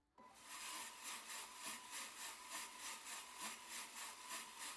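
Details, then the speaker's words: Skywalker V1 coffee roaster being upgraded toward V2: a steady high drum motor whine at full speed under the swish of a 500 g bean load; the whine's cause is still unresolved. "I just got to figure out how to get rid of that whine, because right now it sounds like this on full, like 500 grams."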